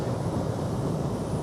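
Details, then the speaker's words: AC compressor that previously would not start, now started immediately, running current about 7 A, later inrush rechecked at 69.9: even steady low hum and airflow with no rattles, knocks or hard-start buzzing; normal compressor running. "Wow. Started immediately. That's amazing. All right, we got to we got definitely got to recheck that. But it's looking great right now."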